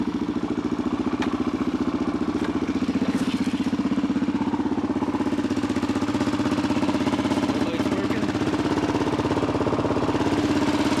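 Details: 1985 Honda XR350R single-cylinder, cold start on choke after a carb cleaning, air/fuel screw 2 turns out, kick-started using the manual decompressor. Loud, regular popping at about four beats a second, holding steady; normal cold idle.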